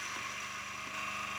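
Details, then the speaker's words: A coffee burr grinder, given a hot start, grinds beans with a small piece of wood added. Steady high-pitched whir of fast burrs crunching through beans with a light rapid rattle, a bit noisy; it smashes the wood with no strain. "A bit noisy. Look at that. That's made pretty short work with a bit of wood."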